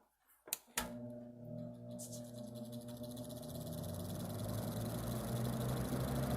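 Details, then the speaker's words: Vintage GE WC2 mini 14-inch 2-speed box fan, likely early 1970s, starting on low: click, then rising motor hum with a new rough buzz on top that later stopped; owner suspects a shading coil rubbing the rotor. "I don't know what that extra buzzing sound is that it's making. It just started. Wasn't doing that before."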